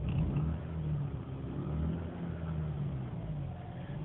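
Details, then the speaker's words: Mazda RX-8 rotary, warm start: rough, jumpy idle that surges and sags to about 500 rpm and nearly or fully stalls, with no check engine light. Owner suspects bad 89-octane gas and plans to switch to 93. "trying to die again really rough feeling kind of jumpy dropping down like dropping down to 500 and done and it feels like it's gonna die again"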